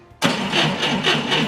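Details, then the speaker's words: 1990 Ford Thunderbird Super Coupe, flooded battery charged to 12.73 V, cranking: starter turns lazily at about four heavy compression pulses a second, spins slightly better than before but still sluggish; slow cranking from weak battery. "it does spin a little better but still seems sluggish"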